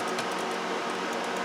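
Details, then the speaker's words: Apple Power Mac G5 being converted to MorphOS 3.1.5, getting hotter and hotter; temperature check reads 79, drawing about 600 watts. Steady, loud rushing fan roar with faint ticking underneath, fans running flat out; power supply later fails. "surprisingly 79 is some change but listen to that thing you need to heat up your basement when you're drawing 600 watts of power knock yourself out"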